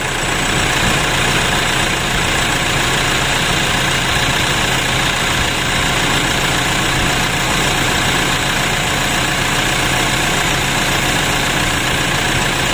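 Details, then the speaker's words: Toyota Innova diesel that is very hard to start cold, especially in the morning, with many leaks: loud, uneven, lumpy idle clatter, a rough-running engine, cause unconfirmed. "sulit sekali hidupnya lalu suara mesin kasar dan banyak kebocoran begitu bosku"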